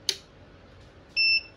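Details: Godox SK400 studio flash after repair of an E3 error: sharp click, then one short clean high beep of about a quarter second; normal power-on.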